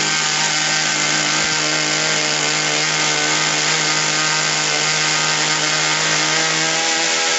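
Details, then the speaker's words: RC airplane engine being tuned at wide-open throttle: steady high-pitched scream with a double pitch, high whine over low rumble; mixture lean at the top end, needle being backed off slightly richer. "even right there I have a double pitch now that's lean I'm going back it off a little"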